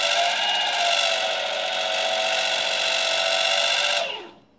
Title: Boosted board rattling noise